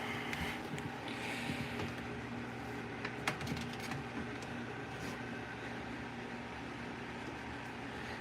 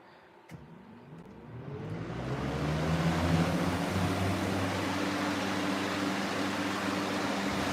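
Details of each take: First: Model 3733 fan with warped rear guard: scattered light ticks and scrapes over steady fan whir and background hum; blade rubbing the guard. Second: Revived 3733 fan, still on its original oil, starting on low speed: hum and rushing air climb smoothly and settle into a steady whir within about three seconds, startup sound less pronounced than on high; normal startup.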